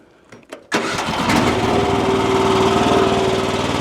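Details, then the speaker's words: Chinese mini excavator with Ducar engine, first start after maintenance with air cleaner off and everything tightened: a few cranking clicks, then it catches and settles into a steady, even chugging idle; starts readily, runs normally. "Yeah, not bad at all."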